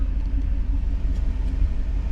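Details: 1991 Mercedes 500SL, 39,000 miles, warm idle at about 85 on the temperature gauge for a recurring high idle despite two new idle control valves: low, steady rumble with no hunting or surging; normal warm idle.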